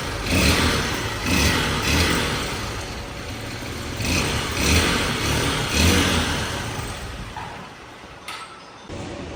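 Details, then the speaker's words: Honda XR 150L motorcycle consuming oil, strange top-end noise; visible clearance between piston and cylinder makes the piston rock: revs rise and fall with hollow, loose top-end clatter over the exhaust, piston slap; oil found burnt, poor quality. "Si lo alcanzan a notar, por eso es que cabecea el pistón, por eso es que se siente ese sonido extraño."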